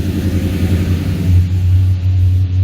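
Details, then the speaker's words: 1978 Ford Courier, cold after sitting a few weeks, after coolant leak repair sealed with RTV: steady, even fast idle around 1450 RPM with smooth low hum, no knocks or misses, plenty of oil pressure, temperature rising. "So we're just going to actually let her just sit here on hot idle for a bit. Plenty of oil pressure."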